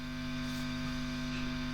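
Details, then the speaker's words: Engl Thunder 50 tube guitar amp, possibly 2001, nothing played: loud steady mains hum and buzz, louder than the guitar signal; not a power tube fault, persists with new tubes; chassis touch-sensitive, input section suspected. "yes you are right we have hum and bus issues louder than the guitar signal listen to that"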